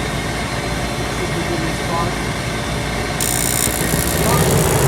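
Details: Furnace with a spark igniter after a bad ignition board was replaced: steady vent-motor fan hum, pressure switch closes, then a livelier rush as the burner lights; a clean, normal ignition sequence.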